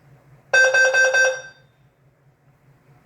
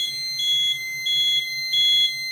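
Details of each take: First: Notifier NFS2-3030 fire panel with DVC, after downloading the database and audio library to fix an audio library incompatible trouble: the CO message plays clear warbling tone bursts about a second long, every four seconds, over a faint hum. It works normally. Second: Notifier NFS2-3030 fire alarm panel: after a database and audio library download, a shrill beep repeats about every two-thirds of a second over a faint low pulsing buzz as the panel signals trouble while the DVC reboots.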